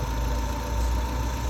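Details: 2007 Kia Sportage 2.0L that cranked but would not start; fuses and ECM main relay were checked good and a new control board was fitted. Now started, it idles with a steady, even low hum and no misses, knocks or ticks.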